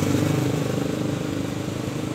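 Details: Honda Beat eSP scooter that went totally electrically dead after riding in rain, with fuses and battery fine, after the relay wiring repair: a small single-cylinder idle ticking over evenly with a steady low putter and no misses or knocks, a healthy idle.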